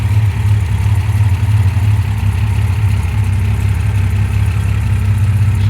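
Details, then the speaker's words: MG MGC GT, restored, bonnet open: low, steady, even idle with smooth murmur, no knocks or ticks; the six, fully rebuilt with lightened and balanced bottom end, ticks over quietly and sounds healthy. "As you can hear, it ticks over really quietly. Engine's been fully rebuilt, lightened and balanced bottom end."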